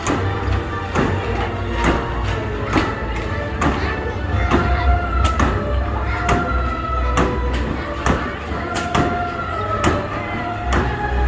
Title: great old horses carousel with awefull ticking noise